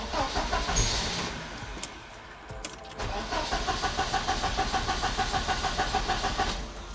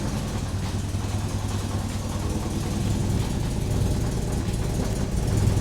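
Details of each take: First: 1986 Porsche 944 Turbo, DME temperature sensor unplugged so the DME thinks it's freezing and dumps fuel, plugs wet: steady cranking about three turns a second, never catches; crank, no start from flooded engine. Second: 1986 Porsche 944 Turbo after an engine reinstall, which had blown white smoke and wouldn't run because of a faulty open-circuit DME temp sensor, now running after the sensor was replaced. Smooth, even rumble, no misses, no smoke: normal running.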